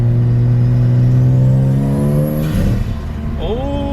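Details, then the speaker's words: Nissan Skyline R33 turbo accelerating after a loose boost coupler was tightened: smooth pull with clean rising engine note, a gear change, builds again with no metallic siren wail; earlier noise believed to be boost leak, boost now healthy. "it sounds so much better okay so as it turns out guys i think that massive big noise was just a boost leak which is awesome"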